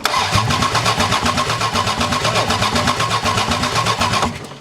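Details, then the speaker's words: 4WD Daytona six-cylinder, engine uncovered in a tornado, 4 of 6 injectors rusted shut; test light shows computer pulsing injectors but they don't respond; steady starter cranking about four beats a second, no firing; crank no start from stuck injectors. "the computer's pulsing the injector but the injector isn't doing anything"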